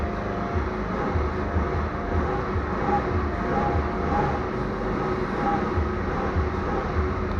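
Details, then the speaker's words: Warm Peugeot V-Clic scooter after refit with cleaned air filter and new fuel filter: steady, even idle with no stumbles or odd noises; running well. "Donc voilà. Et là le scooter tourne bien."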